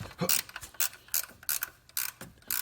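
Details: 2010 Dodge Grand Caravan / VW Routan 4.0 L with the serpentine belt off and the tensioner pulley spun by hand: sharp, gritty clicking bursts about three times a second. The owner suspects a dry, ungreased bearing; to be greased.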